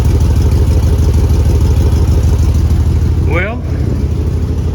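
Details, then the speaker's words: 2001 Chevy 2500 farm truck on first start after its fuel lines were replaced with nylon, air purged. Deep, loud, tractor-like chuffing rumble at about three pulses a second; exhaust leak. "We definitely have an exhaust leak. Sounds like a tractor, but other than that, she fired right up, almost first hit."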